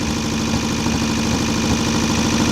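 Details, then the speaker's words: VW Type-3 Fastback air-cooled carbureted flat-four, first start after reinstalling the engine with its loose cylinder heads retightened: a steady light ticking keeps pace with an even idle. The owner suspects he set the valve clearance wrong; it needs readjusting. "Valves are a little noisy. I probably messed up when I adjusted them,"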